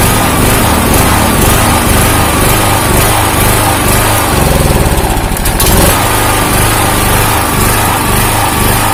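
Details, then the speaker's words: 2000-watt generator with Honda GX160-type single-cylinder engine running steadily, its speed wavering up and down instead of holding even; governor hunting, cause not yet found. "ini mesin genset ya mesin genset Hai merek Pondaag GX160 datang kesini ya begitulah teman-teman sudah melihat khasnya naik-turun naik-turun"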